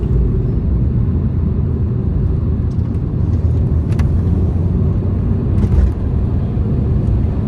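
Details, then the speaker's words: £200 Mini Cooper on test drive: even road and engine rumble, no knocks, bangs or clunks from underneath; suspension works well, and gears, clutch, brakes and steering also seem fine. "Suspension's not banging, lumping around, seems to work very well. No knocks or bangs from underneath."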